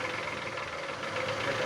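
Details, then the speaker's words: Chevrolet wheel, roughly half a million km: dense rapid metallic clatter with the wheel spinning, traced near the inner CV joint (ШРУС), not the hub bearing, which is quiet; wheel slightly out of true. "Ты слышишь, что шума нету возле подшипника. Если с той с той стороны был шум, ну, оно слышно было, а с этой стороны вот слышишь такой треск."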